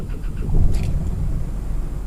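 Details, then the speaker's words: Isuzu D-Max iTEQ diesel that stalled when stopping (fault code P0089, fuel pressure regulator), after replacing the sensor and clearing codes: deep steady rumble at start, no stumble or hunting, engine light gone; normal idle. "Oke, engine pun sudah hidup. Nampak dia punya lambang engine pun sudah hilang."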